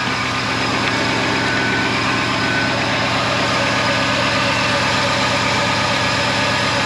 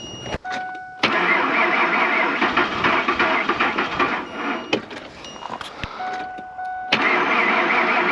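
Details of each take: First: Old Ford F-150 just started after 45 tries at about minus 25 to minus 40, with the block heater plugged in: steady, rough-edged idle with a constant low rumble, no knock or stumble; normal cold idle. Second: Old Ford F-150 at about minus 25 after sitting 4–5 days, with jump pack and block heater plugged in: two short cranking bursts with a pause, then the engine catches at about seven seconds and keeps running; hard cold start.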